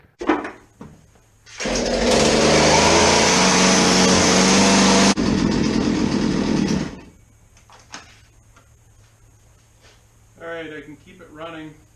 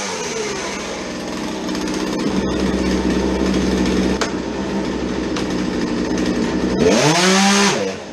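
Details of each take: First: Small two-stroke chainsaw that would not idle, after draining old gas and turning the low-speed screw out to about 1.5 turns richer: buzzes high and steady about five seconds, then drops away; mixture still seems off, cause not confirmed. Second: Small two-stroke chainsaw that would not idle, after fuel change and fitting a modified air filter: steady, clean idle buzz, snaps up to a high even scream and drops back smoothly, running properly.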